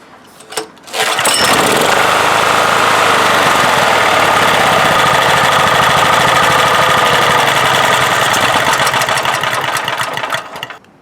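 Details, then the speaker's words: 1997 Honda EB5000 generator with a cheap non-OEM replacement carburetor, started on choke, on auto with 1500 W load: runs rough and busy about nine seconds, then fades and cuts out; lean stall from drawing too much air. "so it just conks out by itself right because the air fuel is sucking too much air at this point it's getting way too much air"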